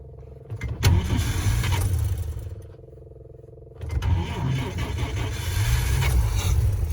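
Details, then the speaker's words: Vintage carbureted car engine deliberately flooded with extra shots of fuel from the electric fuel pump into the float bowl. The starter churns about a second, hesitates, then cranks longer before catching and revving, versus an instant start earlier. Fuel smell; flooded-engine long cranking. "You know how I had to crank over longer? Just a little hesitation there. Versus earlier, it just flashed up instantly. You hear that longer cranking."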